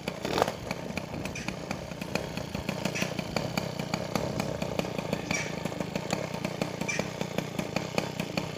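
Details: Peugeot 103 SP two-stroke moped with newly wired MVT digital ignition, first start, warming up: buzzy engine holds a high fast rev with sharp ticking instead of a settled idle; cause unknown.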